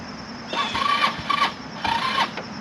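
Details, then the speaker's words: HammerHead 250cc go-kart, battery only about 25–50% charged and a poorly fitting side terminal: two bursts of slow, labored cranking and it never catches; not turning over well. "i don't know the thing's making noise it's just not turning over good"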